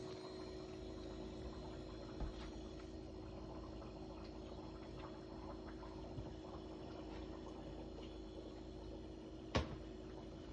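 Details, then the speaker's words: Kenmore refrigerator (bought October 2017) after replacing the circuit card in its failed, obsolete compressor inverter box. Before the repair the fan ran but the compressor would not start. Now a quiet, steady low hum with no knocks: compressor running normally. "I think the compressor's running. Yeah, the compressor's running. Yeah, the compressor's running."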